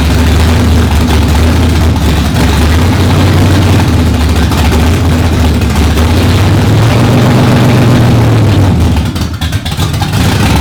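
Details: Stroker Windsor V8 in a Fox Body, first start after install: deep rumble surging and sagging, revs wandering up then dropping off, never holding steady idle on its own; cause not yet found.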